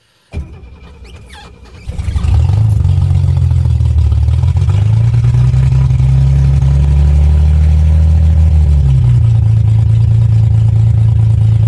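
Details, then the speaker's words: 1970 Mercedes-Benz 250 with 2.5-litre inline-six, exhaust fallen off so running open header (car not running right recently): cranks, catches, then very loud, deep, raw unmuffled roar rising and falling as revved. "yeah that's that's an open header 2.5 litre inline-six from 1970 and the mercedes-benz is aptly named 250"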